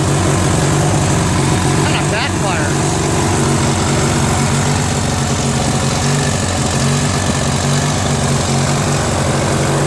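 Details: Briggs & Stratton 16HP opposed twin on a Murray garden tractor, freed after a stuck valve, flushed, with a carburetor added: the idle is steady but uneven and lumpy; the carb mixture screw and timing need adjusting.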